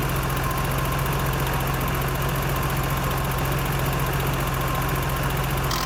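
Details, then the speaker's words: BMW 325i E30 M20, cold idle after valve clearances were reset to factory values: fast light tappet ticking over steady idle, louder than before adjustment; idle raised. "bon j'ai l'impression que ça fait pas mal de bruit quand même"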